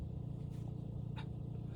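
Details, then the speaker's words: Opel Astra G Bertone convertible, trunk lid actuator test via diagnostic tool while diagnosing soft-top fault: short sharp chirp from the boot over a low hum; central locking motor working normally. "You can actually hear the um central locking motor chirp in the boot. Let's do closed. And you can hear it chirp again. So, that's working."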